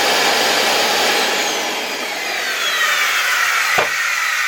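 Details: LG V-3340D vacuum cleaner's original motor, which had started running loudly, run on raised voltage outside the casing: loud, rough roar with thin whine on top; a damaged bearing suspected, not confirmed.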